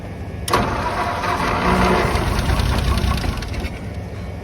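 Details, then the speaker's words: 1951/1952 Ford flathead tow truck, cold, fuel fed directly: catches with rough uneven rumble, sputters about three seconds, then dies; owners suspect the carburetor. "it's running I'm open to ideas I'm starting to think it's the carburetor"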